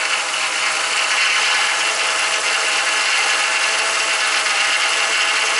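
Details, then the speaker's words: Ford BA Falcon power steering pump after refilling the reservoir, system sitting for weeks, half of 1 litre added: loud constant grating whine with hissy edge as the pump cavitates on air, possibly pulling air in. "The air's just all come out of it. So it's just cavitating, and it could be pulling air in"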